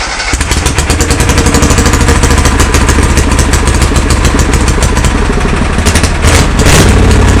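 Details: Kohler Command engine in a Cub Cadet pulling garden tractor, test-fired after redoing the fuel system with an electric fuel pump: catches almost at once and runs loud, steady and fast with strong thumping, no misses or knocks; normal running.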